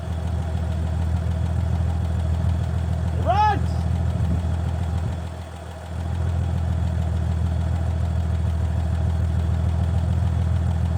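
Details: 1965 Chevy C50 grain truck, abandoned for years, idling on its own after its first start: deep, steady low rumble with a slightly loose beat, no stalling; fuel pump line suspected and slight leak suspected; normal idle.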